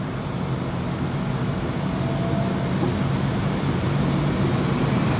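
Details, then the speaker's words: Goodman furnace with Cool Cloud HAC, blower run at 100% from the app: steady airy whoosh slowly ramping up with no rattles, scraping or knocking; blower runs normally. "and now that man's gonna come on eventually so it's ramping up right now it almost you could hear it but those fans running"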